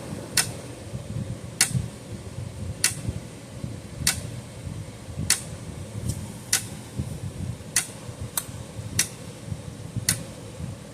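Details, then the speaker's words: Old Parmak 12 V fence charger, roughly 50 years old, bench-powered at 12.5 V: sharp snapping clicks about once a second, slightly uneven, over a faint hum; points arcing every once in a while as it pulses. "Look at that. Away it goes. It is arcing on those points every once in a"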